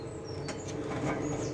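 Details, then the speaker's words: Swift Escape 624 motorhome space heater, set by its speed dial: soft, steady whir with an even hum and no rubbing, so the fan is running normally. "If I push it to this way, you can hear that the fan then activates, and to change the fan speed, I can change it using this dial here."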